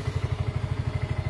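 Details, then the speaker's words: Yamaha automatic scooter that would not start because rats chewed its wiring, heard after the wires were repaired and insulated. It starts on the electric starter and idles with even, regular low putts, no stumbles; running normally. "ternyata sudah bisa Alhamdulillah sudah nyala ya kelistrikan menyala mesin menyala dan kita cek menyala juga ya jadi sudah oke"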